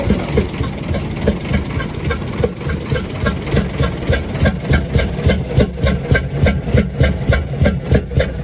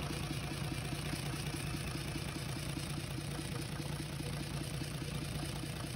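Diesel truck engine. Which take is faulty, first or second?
first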